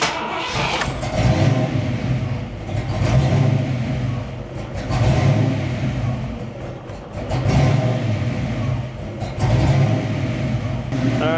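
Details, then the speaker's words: Ford Foxbody with a GT40 engine build, just refitted with 19 lb injectors. After a restart the idle sits high and hunts up and down every two seconds. The cause is unconfirmed. "it was idling pretty high like 950 a th000 and then it would go high idle 1100 and hang there for a little while and then come down so trying to mitigate some of that see how it does"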